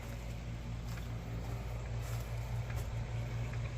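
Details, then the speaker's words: 1971 Chevrolet C10 V8 during first tune-up with new plugs, suspected bad dark fuel partly diluted; low steady idle, still not idling right but a little smoother, still popping and cracking afterward. "well still not idling runs a little bit smoother"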